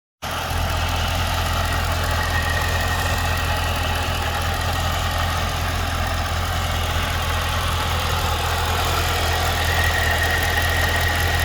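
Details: 2012 Cadillac CTS-V at idle: a steady idle with a fast, light ticking of roughly three per second riding on the engine note; ticking/knocking at idle, cause not yet pinned down.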